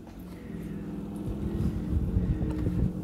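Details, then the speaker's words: Approx. 12-year-old Whirlpool fridge/freezer (model 6ED2FHKXRL04): a low, uneven growl begins when the condenser fan clicks on; compressor alone ran quiet, so the groaning fan motor is the source. "so now the fans clicked in and i'm pretty sure that's the source of the noise"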